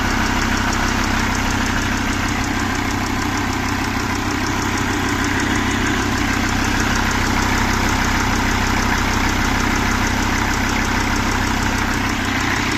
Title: MERCEDES-BENZ E CLASS ENGINE OM647 270CDI NO HARD START NO SMOKE BUT TURBOCHARGER NOISE PROBLEM